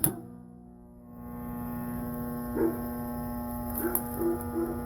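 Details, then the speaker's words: York heat pump split system outdoor unit after correcting reversed compressor start wiring, fan motor partly seized: steady low electrical hum with no motor spin-up or pumping; compressor hums but does not run. "Doesn't look too good. It's sort of running, but nothing's happening."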